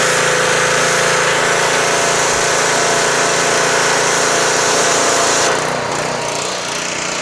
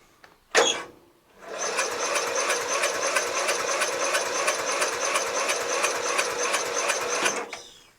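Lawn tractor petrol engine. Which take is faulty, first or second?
second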